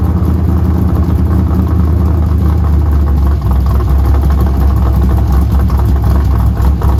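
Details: Pontiac GTO V8 after replacing a bad IAC valve: even, low rumbling idle with a slight dip and recovery, holding steady without stumbling. Normal idle after the repair.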